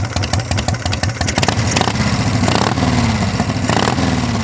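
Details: 1982 Harley shovelhead, first-crank start on new straight shotgun pipes: loud, uneven potato-potato lope, blipped a few times then settling to idle; normal, healthy idle.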